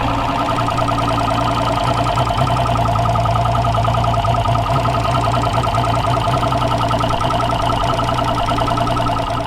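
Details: Two-stroke outboard that had sat for a long time, running on the water supply after a new injector was fitted: a steady, even buzzing run with a firm low drone and no misses or knocks, firing cleanly. A tracker valve leak was found afterwards.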